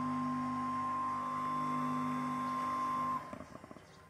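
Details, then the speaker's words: Electric water pump after repair of humming, slow or non-turning motor, reassembled: steady hum with a clean tone near 1 kHz, smooth and even, no scraping or rubbing, then shuts off; pump runs normally. "Kemudian kita coba hidupkan. Suaranya sudah normal, tidak ada bunyi gesekan."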